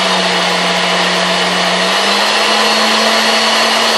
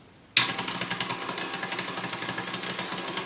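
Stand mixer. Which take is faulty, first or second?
second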